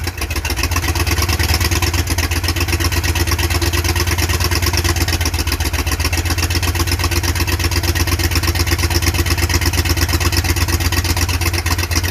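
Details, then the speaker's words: 1951 Ford F-100 flathead V8, first start in 30 years, running on spray and gas jug: fires up and holds steady, even rumble with regular exhaust pulse, no knocks or misses; running fine. "better quitter there yeah no press on in here that's pretty damn good though I got her running"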